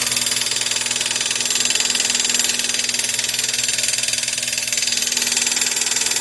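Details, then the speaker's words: Chevrolet Corsa Classic at idle, run after a roadside assistance call because it would not start, with the battery warning light staying on. A loud, harsh high-pitched rattle pulses about four times a second, pointing to a failing alternator. "ó aí é o seguinte tá acontecendo esse barulho e tem a luz da bateria ó ela tá acesa direto tá vendo ó não apaga"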